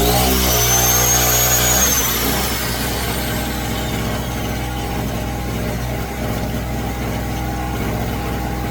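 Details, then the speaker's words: Pulsar 1200W small two-stroke generator, new out of box, choke started: engine revs up then pitch drops into a strained drone as load comes on running a 200 PSI air compressor at full power; engine labouring, barely handling the load. "You can hear how it revs up when I go to use the power. Motor revs up. I'm thinking that it's not going to handle It just seems like it's just barely handling this. This is working full power when you can hear that thing working."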